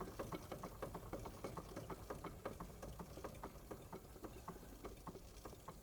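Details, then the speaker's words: Restored Wilesco D32 model steam engine running slowly on a voltage reducer: soft, even puffing ticks about three per second, no knocks; normal smooth slow tick-over. "Now I could, you know, it's ticking over quite nicely now, and if I didn't have that voltage reducer, I wouldn't be able to run it this long."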